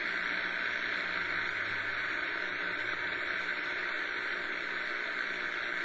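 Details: Realistic DX-200 shortwave receiver, afternoon, tuning from 30 m down to 40 m band with conditions shown poor: steady even hiss across the band, no stations; high background noise, possibly dry-air static.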